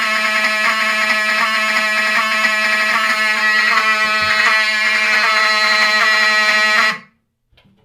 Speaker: power, or whatever you want to call it, it outputs FWR to the notification appliances, which is fine, but kind of with older appliances like these, they sound scratchy.